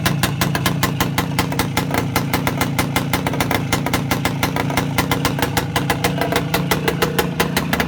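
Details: Voskhod 3 motorcycle two-stroke engine after a major overhaul: fast even popping, steady firing with no knocks, misses or rattles; running healthy.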